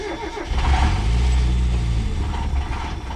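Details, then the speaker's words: Mazda Miata that sat for a very long time, started on starting fluid and revved: ragged uneven running but no rod knock heard; rough running, suspected fuel starvation from clogged fuel filter or low rail pressure. "Come in here, start it up, and just rev it and see if we hear some knocking. That sounds terrible."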